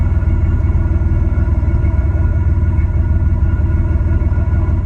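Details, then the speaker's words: Bus engine idling after a new muffler install and 10–15 minutes of warm-up with all bolts checked: deep, steady exhaust rumble with an even pulse, no rattles or leaks; healthy warm idle. "okay we've been warming up here for about 10-15 minutes now and we're starting to get a little bit more noise out of it but yeah well I just checked all the bolts everything is good"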